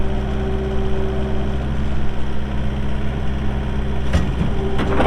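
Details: 2018 Takeuchi TL8 skid steer with 1,594 hours: a deep, steady diesel drone with an even low hum and no knocks, plus a couple of clunks near the end; healthy idle.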